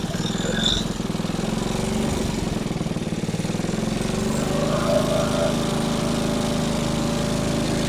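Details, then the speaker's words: Small single-cylinder engine salvaged from a junk go-kart, running after carburetor cleaning and a point-gap adjustment: a fast, even, steady beat with no misses or knocks. The engine sounds healthy. "Okay. Well, two things happened. We found out that this engine is a runner, and my feeler gauges vibrated apart."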